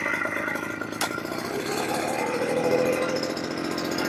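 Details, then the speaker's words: Yamamax Pro 3WF-3 14L mist blower/duster two-stroke, started at setting 2 on about 30-35:1 mix (25:1 wouldn't start) after carb adjustment; catches quickly, settles into even buzzy run without misses or surging: normal running. "Oke, dia nyala ya, dia nyala sekarang, sudah cukup mudah."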